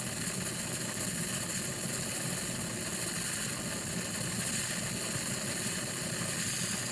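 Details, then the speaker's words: Pressure King Pro electric pressure cooker set to 30 while pressure builds: a continuous even hiss of steam venting from the top, without sputtering, until the float valve pops up and seals. Normal operation. "Still 30, but as you can see, it's starting to blow steam out of there. Now that will just suddenly pop up and stop the steam coming out of it, but you're not going to get burnt."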